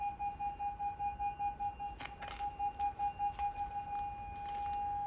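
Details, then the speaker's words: 2006 Mercedes B-Class (W245) with newly retrofitted rear parking sensors, reverse engaged, engine off: clear high beeps about two and a half per second, turning into one continuous tone as a person approaches; sensors working normally. "so you can already hear it it's detecting me so if I walk away you can see the reverse lights are on [Music] and as I approach the car the alarm is beeping so you can hear that"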